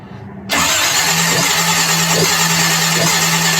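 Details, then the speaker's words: 1951 Chevy 1-ton flatbed truck with Chevy 350, first start attempt after rewiring. Starter spins steadily with a few weak, uneven puffs but never catches; spark is fat but intermittent, suspected as the cause, not confirmed. "it's getting a fat spark but it's kind of intermittent you know it ought to be like boom boom boom boom boom boom boom on that spark that it's going boom so that's not work that's not good that's not gonna start a motor"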